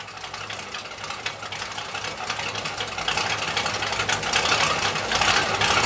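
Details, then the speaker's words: 1977 Pontiac Firebird Formula V8, freshly installed, first run with no antifreeze: loud, raspy, uneven unmuffled idle building slightly, horrendously loud, like a pulpwood truck, but running. "There it is. I don't want to run it too long. There is no antifreeze in it. And it still sounds like a pulp wood truck, believe it or not."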